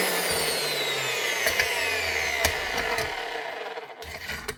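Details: Bosch GWS 22-230 H angle grinder after its broken field was replaced with a secondhand field: a high, even motor whine with brush hiss that winds down smoothly, with no rattle or grinding. The grinder runs normally after repair.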